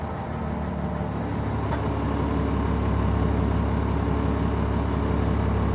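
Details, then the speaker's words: 2003 Stewart & Stevenson M1078 diesel just after cold start, idling while cab levels and central tire inflation fills tires: steady low rumble, even pulses about three per second, idle adjusting itself, air pop-off valve heard; normal cold idle. "You can hear the idle adjusting itself somewhat here. There we go. I hope you could hear that pop-off valve."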